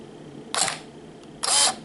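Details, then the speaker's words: Canon EOS Rebel S 35mm film SLR body in automatic mode, lens shaded to dim the light: two open-close shutter cycles, the second held clearly longer, about a quarter second; auto-exposure timing works normally. "and for example here we make a little shadow there look there you can hear that it stays open for more seconds"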